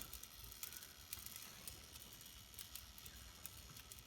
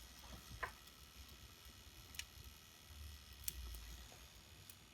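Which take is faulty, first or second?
first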